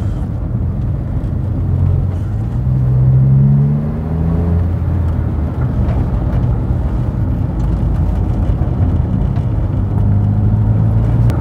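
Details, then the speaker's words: Smart ForTwo 450 on a potholed rough road after full front and rear suspension rebuild and replacement of a failed anti-roll bar link and lower arm bush; low steady rumble, no knocks or bangs, suspension quiet. "it's driving night nicely no major knocks no major bangs don't break me suspension"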